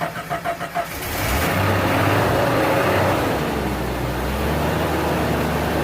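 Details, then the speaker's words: 1987 Jeep Comanche, AMC 4.0L, 115,000 miles, after fuel pump and filter replacement, tank work and priming: a few cranking pulses, then it fires and settles into a steady, even idle with no knocks or stumbles; running normally. "So, after a month of this truck sitting here in my driveway and the entire internet telling me I was wrong in my confident diagnosis of the fuel pump, it is finally running."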